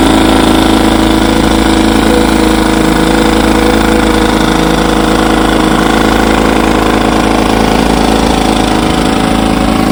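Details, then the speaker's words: 1954 Evinrude 7.5 HP outboard, restored with replacement power head after frozen original, in barrel test: steady, even two-stroke buzz at constant speed with no misses, knocks or surging; runs like a champ. "A2 get yes sir She's a Beauty runs like a champ got her out here on to B Lake Bar tester she looks great and so does the lake"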